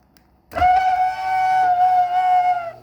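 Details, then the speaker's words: Martin garage door opener (item 79965), before silicone lubricant: loud steady high whistle holding one pitch about two seconds while running, squeal coming from somewhere inside the opener unit. "it is making an awful noise and it's coming up from this part of the garage door opener right there whatever is in there I'm going to try putting some silicone lubricant in and see if it helps"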